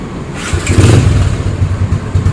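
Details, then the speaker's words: Yamaha Spark 135 upgraded with 60 mm ceramic cylinder, modified head, new cam and valve springs, new carb, new clutch plates, reworked exhaust and bare stainless air filter box: catches into a quick even patter, clean revs, audible intake noise; normal start and rev. "เสียงดีครับทั้งดูดทั้งพ่นนะครับเสียงดูดก็มีเสียงหน่อยเพราะว่าใส่กล่องเปลือยสแตนเลสแต่กรองสแตนเลส"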